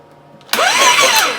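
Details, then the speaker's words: Harley Street 500 being rebuilt to 750, during engine reassembly with a cover refitted: starter spins the engine briskly and evenly with no drag, grinding or binding; engine no longer locked up. "Yeah! Sounds good to me. What I see is the engine is no longer locked up."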